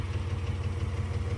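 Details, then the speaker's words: 90s GMC Typhoon SUV at idle: low uneven throb with a lumpy pulse dropping a beat, definitely down a hole; owner unsure whether cylinder, head, timing, a plug or a dirty injector, possibly with a broken stud. "as you can hear this thing is definitely down a hole I don't know if it's a cylinder I don't know if it's a head I don't know if it's uh timing related or something stupid like a plug or an injector that's dirty"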